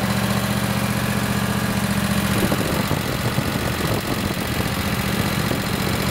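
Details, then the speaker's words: Craftsman lawn tractor, Kohler 26 hp Courage V-twin, after an ignition coil conversion kit fixed running on one cylinder. A steady, even rumble, smooth on both cylinders with no misses or stumbles. "so now I know everything's hooked up properly it works good"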